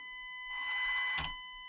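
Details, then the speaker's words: Panda Hobby Tetra K1 micro crawler stock ESC, lowest speed setting gear 1, nearly full throttle: thin steady high whine with overtones under buzzy motor spin-up; very loud, weak, poor low-speed modulation. "and still even on speed it absolutely i'm nearly on full throttle that's absolutely horrible and it's super loud too"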